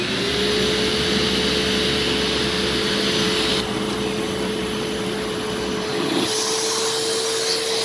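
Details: An upright vacuum runs in carpet mode with a steady high motor whine and even airflow rush. It sounds healthy, though the pedal may have a broken spring.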